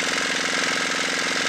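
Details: Dongfeng single-cylinder diesel restarted after repair for oil consumption and white smoke: fast, even diesel clatter with steady loudness, no misses or extra knocks; running normally.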